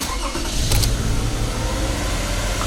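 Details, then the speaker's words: 2007 Toyota Sienna 2GR-FE V6, after spark plug work for a P0303 cylinder 3 misfire code, code erased: engine catches into a fast, lumpy idle with uneven beat, high idle after reassembly; still misfiring, no codes yet, cause unknown. "I don't see check engine light but it's not running right so let's see what this scanner will tell us"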